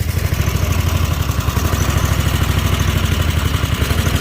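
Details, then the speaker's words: Snapper Pro 48-inch zero-turn mower at idle, before Seafoam treatment: low, lumpy idle with quick uneven pulsing thump and some clatter; engine hunts and runs rough, owner suspects a gummed-up carburetor. "i know why they are down because of the the uh the carburetors i think you're getting box stocked up a little bit because you can hear it now"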